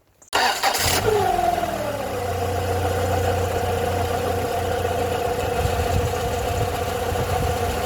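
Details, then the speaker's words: Rover 45 Impression S3 with CVT after fluid change, starting and idling: steady mid-pitched hum with faint whine, traced by stethoscope to the engine not the gearbox; possibly a bearing, alternator bearing ruled out, source unclear. "my general perception is the noise from the what we thought was the gearbox it's not the gearbox there is actually a noise coming from the engine now some people could argue that that sound is a bearing because you've heard it enough times could be a bearing"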